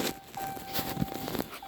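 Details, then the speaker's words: 2019 Ram 1500 3.0 Ecodiesel, key on two clicks to prime after a fuel filter change during 20k/30k maintenance. Faint steady electric fuel pump hum that slows and paces as air is purged; normal priming. "Hear the fuel pump running. And you heard it slow down and pace right there. Getting some air out, hear it?"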